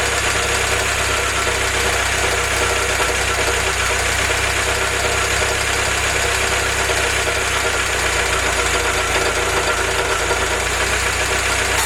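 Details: Willys F-head (snow blower jeep engine), first run on newly installed Weber carb replacing troublesome Carter YF, 180 thermostat: steady even idle holding one smooth note, no knocks or hunting; normal idle.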